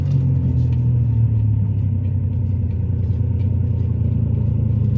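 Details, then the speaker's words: Ford Taurus while driving, after a shop visit for another problem, owner suspects the shop caused an exhaust leak with power decreased dramatically: deep, throaty diesel-like rumble with little high end; exhaust rumble. "like a diesel that shot got my car sounded like got my Torah sounding like a diesel"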